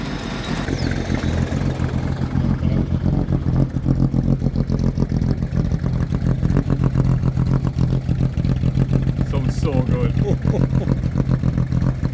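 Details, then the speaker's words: Mercedes-Benz W123 250 long-wheelbase ex-taxi, first start after 17 years parked; smooth, even idle with a steady low hum and no knocks, ticks or stumbles; quiet, sewing-machine-like normal running. "i have the pedal there it's like actually quiet like oh man you never think that that was really 17 years like"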